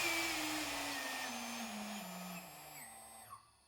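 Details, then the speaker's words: 2.2 kW CNC spindle on a WEG CFW320 VFD set to a 1-second decel with no braking configured: whine steps down in pitch with a faint pulsing as it winds down, taking longer than 1 second to stop. "It took longer than 1 second, and you can hear a pulsing sound as it decelerates."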